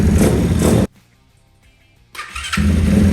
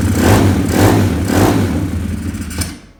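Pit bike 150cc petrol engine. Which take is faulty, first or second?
second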